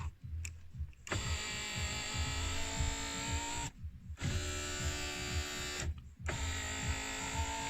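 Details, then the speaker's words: 2000 Land Rover Discovery TD5, door panel off: three smooth, even window-motor runs with clean stops, operated from front and window switches; windows and switches previously not working now work normally, possibly due to dust accumulation. "Everything now works. Yeah. And you did pretty much nothing really."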